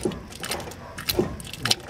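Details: 1997 Ford Ranger rear differential, wheel turned slowly by hand: uneven clicking and gritty ratcheting from a differential bearing with a burst cage; ring gear looks fine, only lightly scratched.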